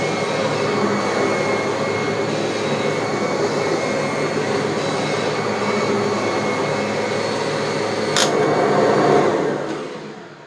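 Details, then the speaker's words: Kirby G3 vacuum after transmission refurb (cleaned and regreased): steady motor drone with a thin transmission whine on top, only slightly quieter than before, not eliminated. "the the classic old kirby transmission wine uh has been improved a bit but i can't say it's like night and day and it certainly hasn't completely eliminated it"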